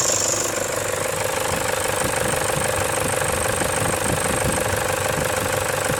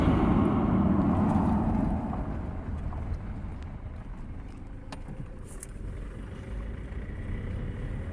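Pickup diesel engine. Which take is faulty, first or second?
first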